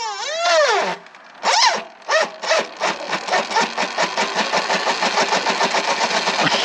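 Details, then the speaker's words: Sur-Ron Light Bee electric motor on test ride after hall sensor replacement, GoPro POV: rough pulsing freight-train chug with whining rattle and no drive; regen sounds like tearing the motor apart; motor likely blown. "we literally sound like a freight train I think that's the motor completely done it sounds absolutely awful"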